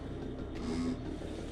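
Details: Desktop PC running: steady, loud electrical-sounding hum with a low drone from a worn CPU cooler fan; noise stops when the fan is stopped, fan to be replaced.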